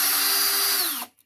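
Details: Bosch 18V cordless 1/2-inch drill after gearbox replacement for failed gear-head bearings, running in high gear: smooth, steady high-pitched motor whine with no grinding or clicking, then a clean spin-down; repaired drill runs healthy.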